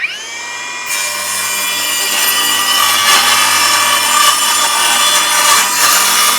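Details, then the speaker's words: Milwaukee Fuel circular saw cutting subflooring: motor spins up to a clean high whine and holds steady pitch through the cut; runs strong, smooth and straight, normal cutting. "it is real nice like it is smooth it is a straight cutting saw it is a powerful freaking saw it is a smooth saw I am really impressed with this"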